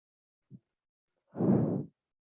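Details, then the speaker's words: Wood lathe turning a pinch pot on spindle grain after tightening up: a light tap, then a brief, even swish of the cut with no buzzing vibration; smooth cut without chatter. "can you hear a vibration it's not there is it"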